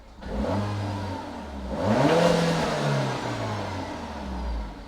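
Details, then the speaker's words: Peugeot 308 GTI after fitting an AIRTEC intercooler for track prep; clean rise from idle to a strong rev and back, no hiss or flutter, turbo audible, held boost with AFR 14.7 and idling better. "Held boost. And AFR's down to 14.7. If we put it in reverse, you can obviously hear the turbo going off."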